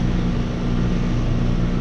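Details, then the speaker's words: Trane heat pump running after replacing a bad contactor: compressor drawing 8.2 amps; steady low hum, smooth even tone, no chatter or rattle, running normally. "Sounds good here. There we go. 8.2 amps."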